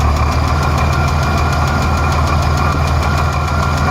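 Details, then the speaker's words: Engine with cylinder 6 exhaust valve rocker arm bolt backed off to cure a misfire: misfire gone, cylinder firing, but a sharp, rapid, even rocker tick remains at idle; owner wonders about a weak valve spring. "Alright, so we backed off the exhaust valve on number 6. Got a little bit of a tick now."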